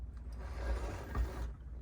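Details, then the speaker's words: Penn Line/Bowser Pennsylvania Railroad T-1 4-4-4-4 kit locomotive on track: low motor whir for about a second and a half, then sudden dropout; shorting out and stalling, traced to the tender. "Shorting out again. Oh. Yeah. You can, Bowser, you can take this model and you can shove it. And there she sits in a perpetual state of shorting out."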